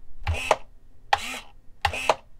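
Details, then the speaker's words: DLE-20 gas engine in Balsa USA Stingray RC plane, servo choke test: three crisp paired clicks about 0.8 s apart, the choke plate snapping closed inside the carburetor; normal choke action. "that little click you he that little snap right that thing that's because that's that sound is transferring from the the choke itself or like as it closes it does that little snap over here in the carburetor that's what you're hearing"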